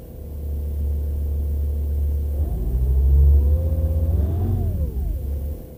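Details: VW T5 Transporter 2.5 TDI: low, steady cranking for a couple of seconds before the diesel catches and revs up. A slow, reluctant hard start caused by bad injector seals.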